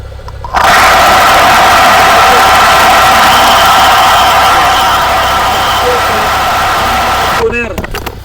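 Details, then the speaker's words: Toyota Fortuner at 90k km, heard through a mechanic's stethoscope on the alternator: a loud steady rushing hiss with a faint high whine; the alternator bearings are worn, two internal plus the one-way pulley bearing, and replacement is recommended. "lahat po ng mga ginawa naming mga Fortuner, yan ang nagiging problema, yung bearing sa alternator. Dalawa sa loob at yung pinaka bearing doon sa kanyang one-way pulley."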